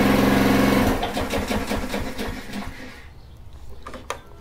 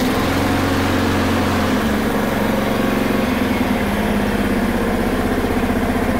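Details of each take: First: Honda mower with an aftermarket carburetor and little to no compression felt, choke on: weak chugging at about four puffs a second that fades and stalls within three seconds; weak chugging on choke, engine dies, carb suspected. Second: Honda HRR216 mower that stalled when the clutch engaged, blamed on a bad aftermarket carb, after the fix: steady, even speed with no surging or misfire. Normal running.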